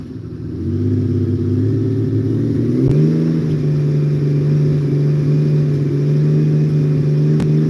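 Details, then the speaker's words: 1980 Honda CBX motorcycle at highway cruise in top gear, about 3,200 rpm; engine rises then holds a steady, even throaty hum with no misses or knocks — normal healthy cruise. "When you hear me holding a steady RPM, that's what she sounds like when I'm going down the road. She usually runs about 3,200 RPM at highway speed in final drive."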